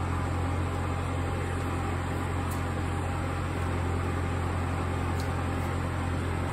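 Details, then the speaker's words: Denbig portable air conditioner running with its fan on high, standing on a wooden chest: steady low hum and drone with a buzzy vibration resonance from the wooden mounting surface. "yeah you probably wouldn't hear that vibration if it wasn't on that wooden chest there"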